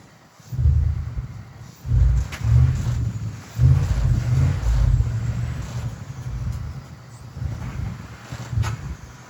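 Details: Cold start attempt on 1967 Mercury Park Lane, 410 Ford FE engine, on jumper cables: heavy labouring churn in slow uneven bursts under one turn a second, never catching; weak battery and possibly inconsistent spark suspected.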